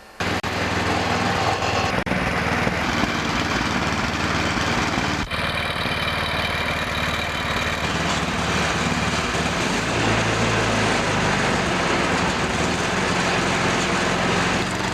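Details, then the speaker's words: MTD / Cub Cadet / Yard Man snowblower after auger belt replacement, belt cover off: small single-cylinder engine runs a steady even buzz at constant speed, no knocks or belt squeal; working fine. "seems to work good now I'm going to reinstall the cover"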